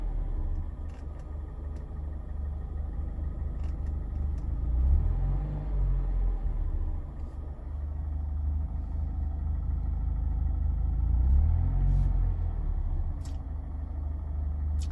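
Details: 2019 Mazda Miata ND2 in limp mode with smart city brake malfunction and rough idle: with the pedal untouched, idle rises and falls on its own roughly every seven seconds, a surging, hunting idle.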